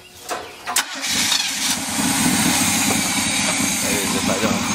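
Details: Old fire truck, first start, engine once feared seized, on five gallons of gas: short crank, fires and settles into a steady, even, very low idle, cool engine on a hot day, no knocking or stumbling; starts and runs normally.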